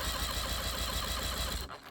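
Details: 1984 Tracker boat with Mercury 40hp two-stroke outboard (likely 1994 engine), no-start complaint after mouse damage to wiring: steady, even cranking chug with even compression pulses; good spark, cylinder 1 at 125 psi; normal cranking compression.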